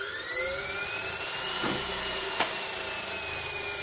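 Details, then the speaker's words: Agni 95R motor on Kelly KDC 72601 controller, 72 V pack, throttle fully released past micro switch: smooth high electric whine slowly falling as motor freewheels, no regenerative braking. "so first scenario you're out driving you take your foot from the gas to roll down a slope the motor will sound like this"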